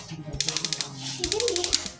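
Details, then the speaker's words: Wasser gas water heater that would not light despite new batteries: with the water-pressure switch lifted by hand, the igniter fires in two bursts of sharp rapid ticking, about a dozen clicks per second; sparking normally. Clogging kept water pressure too low to lift the switch. "dia bekerja ya, pemantiknya bekerja itu."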